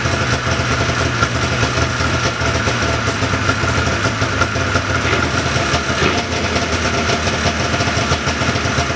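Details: 1979 John Deere Cyclone 340 two-stroke snowmobile after carb cleaning: busy, even idle with steady crackle, no stumbling, sitting a touch fast but running cleanly; no air box or filter fitted yet. Normal idle.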